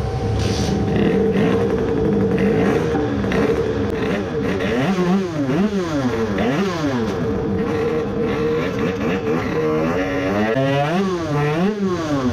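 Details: 20 hp moped two-stroke on the dyno after fitting 3D-printed crankcase filler pieces; crisp buzz sweeping up and down through repeated hard pulls, clean with no misfire or knock: a normal full-throttle run, though the best result was only 10.4 hp.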